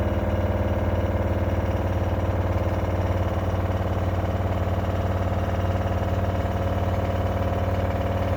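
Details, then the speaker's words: LG washer-dryer CV5011TS4, less than a year old, during spin: steady fast hum with a rapid even thump about three to four times a second from drum knocking, suspected to be a loose or failed shock absorber. "eu vou ligar a máquina agora para você observar o barulho que ela está fazendo e eu tenho quase certeza pelo tempo que a gente usa lave seca aqui em casa eu tenho quase certeza que esse barulho aqui é do amortecedor"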